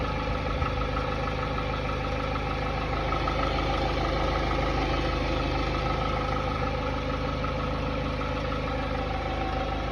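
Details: Hyundai Tiburon 2.0 MPI G4GC (143 hp) at cold idle: light, steady tapping about three per second over an even idle that disappears once warm; the owner suspects piston slap, not confirmed.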